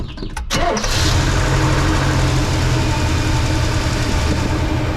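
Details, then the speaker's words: 1968 Oldsmobile Delmont V8 after oil change to thicker oil, old oil fuel-diluted: quick crank catches at once and settles into a steady, even idle with a deep rumble and no tapping; valve train quieter. "guys hear how easy this thing starts now unreal so we got no leaks under there which is good it actually sounded like the valve train quieted up a little bit which is actually what we wanted with the thicker oil"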